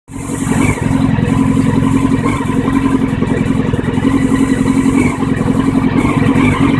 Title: 1999 CBR 600F4 Rough idle and low rpm